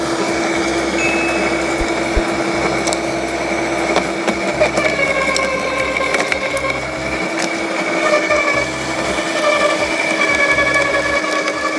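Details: LawnMaster 2800W quiet electric garden shredder with self-feeding, shredding mixed-size garden cuttings: steady motor whine with irregular crunches as twigs and branches feed through, never bogging down. Normal, healthy shredding.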